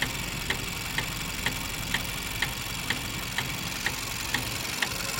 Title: Vauxhall Astra automatic, 1.4 Sri rhythmic clicking and ticking noise